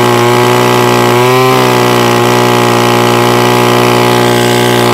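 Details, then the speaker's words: Titan strimmer multi-tool that used to bog or stall, after a quarter-turn clockwise carburettor adjustment with a flathead screwdriver: steady, even two-stroke buzz, brief rev picks up cleanly and settles back, running smoothly. "all right I've got my Titans trimmer working one more time so there you go one little tight instrument out we're up and running"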